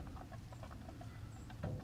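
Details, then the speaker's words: Nissan 240SX after about a quarter-mile drive, starting to overheat: irregular soft gurgling over a low steady engine rumble as coolant bubbles; coolant pressure present but thermostat not opening, coolant pushed into overflow, owner suspects an air bubble. "Yeah, I made it like a quarter mile and started trying to overheat. So let's see. Yo, I hear it like bubbling."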